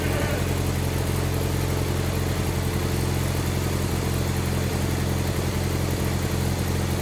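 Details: Wheel Horse 520H garden tractor pulled from a tree row, running on its own on fresh gas from a can with battery and jump pack: steady, even low thrum with a regular beat, no misses or knocks; runs normally.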